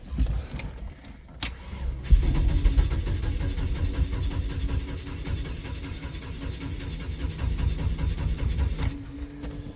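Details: 2002 Chevrolet S10 2.2, first start of year: starter spins engine in even chug about four beats a second for several seconds, never fires; crank no start, owner suspects IAC, says not fuel pump.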